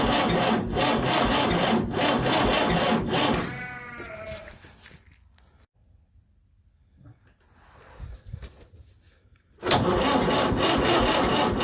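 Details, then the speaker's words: Fordson Power Major tractor diesel parked 5 years, on its old battery: the starter labours at three or four lazy compression beats a second and never fires. Slow cranking from a weak battery; new batteries later fixed it. "now the battery was not good enough and this meant that the engine was not turning over fast enough so it would not start like that"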